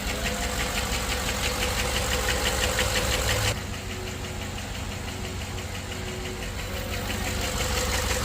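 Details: GM LS V8 at idle: steady tick about three per second, tone dropping as scan software commands PCM to cut individual cylinders, isolating a misfiring cylinder caused by collapsed lifter.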